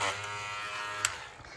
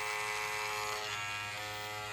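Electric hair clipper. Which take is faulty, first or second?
first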